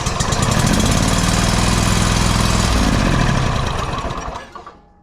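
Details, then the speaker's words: Exmark 52" Pioneer S zero-turn (PNS720KC523), Kohler KT720 twin, which was running rough, popping and bogging under load. With one plug unplugged and held to the block, the engine runs on one cylinder with a loud, steady, even thump about four per second and no misses; the left cylinder now fires properly. "it runs just fine with that other plug unplugged now both cylinders are properly firing"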